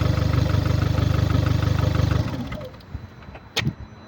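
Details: VW Golf MK6 2009, 1.4 petrol (1390 cc, 90 kW/122 PS, engine code CAXA), 272,900 km: low, uneven puffing beat about three per second at idle, then engine shuts off; caused by a defective head gasket.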